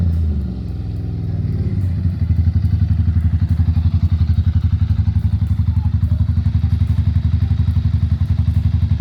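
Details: Ducati Monster M600 air-cooled V-twin, ridden after about two years unused: a lumpy, loping thump at about four pulses a second that fades out. It won't hold an idle, running rich from incorrect carburettor jetting.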